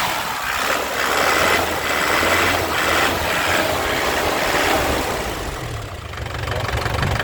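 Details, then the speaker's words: 2009 Isuzu Panther LS Turbo diesel, dry engine with no oil seepage: revs and settles with rough but even roar, stable, no knocks or misses, no smoke; healthy engine. "ya mesinnya suaranya masih enak tenang stabil masih renyah ya kaspentter tidak pincang ya masih stabil suaranya enak"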